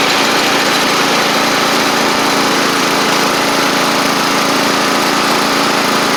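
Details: Sabre riding mower after drive belt, blades, head gasket, carburetor and coil replacement, about 32°F outside: even, steady engine drone with a constant buzzy note, no knocks, misses or grinding. Residual oil smoke from the old head gasket burning off. Normal running.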